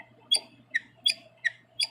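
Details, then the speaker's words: Wall switch in use about 15 years, lights not turning on: five short high squeaks about 0.4 s apart as it is worked, fan switch silent; owner suspects defect, cause unconfirmed. "and here's the other one that's for the fin it doesn't do it and that leads me to uh believe there's a defect if it's bad"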